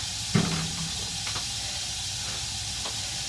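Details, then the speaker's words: 1960 gas furnace after relighting the pilot and confirming the thermocouple works: steady soft hissing main burner flame with a couple of handling clicks, no flutter or popping; burning evenly. "Thermocouple's working fine. The burner's burning good. Everything's okay."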